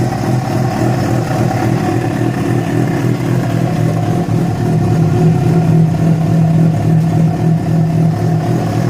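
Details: Yamaha FZ6 four-cylinder with a steady drone and an uneven mechanical clatter over it at idle and revs; began after riding about 70 km on two cylinders due to a failed ignition coil connector; source not yet pinned down.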